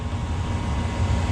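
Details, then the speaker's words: Mana 80 SV Air Command furnace after a no-start repair (bugs, stuck exhaust fan): the blower starts on the circuit-board timer after the burners light. Steady, even low rumble with no knocks, rattles or squeal, normal blower operation. "And then the timer, circuit board's got a timer, and the blower should start here shortly. Come on. Until the blower started. So the blower started."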